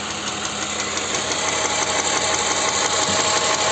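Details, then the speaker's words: Toyota Highlander U50, 3.5 2GR-FKS petrol V6, stated mileage 93 thousand (also 394 mentioned): steady knock about three a second from low in the sump when revved, even cold; rod knock, possibly saved by bearing replacement. "Вот она сейчас не стучит но газу дам слышно стук шатуна"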